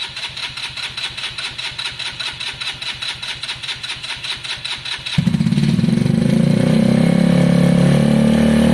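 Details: KSR Moto GRS 125 single, first start after valve adjustment, timing and timing chain tensioner work: starter cranks evenly about five seconds, then fires and holds a steady, clean idle; runs healthy.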